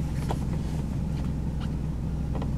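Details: Mercedes W140 500SEL V8 just after start-up: uneven lumpy stumbling idle with bursts; very rough idle, no power, apparent limp mode, MPG gauge at zero, high fuel use.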